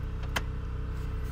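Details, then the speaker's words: 1992 Lincoln Town Car limousine, 4.6 V8, long unused: the rear air suspension compressor runs with a steady, low, buzzy electric drone, a new noise it did not make before. "C'est quoi ce bruit? Maintenant, je sais que c'est le compresseur d'air des suspensions arrière. Je comprends pas pourquoi il fait du bruit comme ça."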